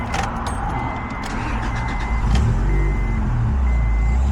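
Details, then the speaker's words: Honda Integra DC2 running a Link ECU, with the distributor unplugged, crank-only 24-2 trigger and newly synced timing. A steady, even idle with no stumbles or misses; normal idle. "right now it's actually on crank only, and it's actually running pretty damn good."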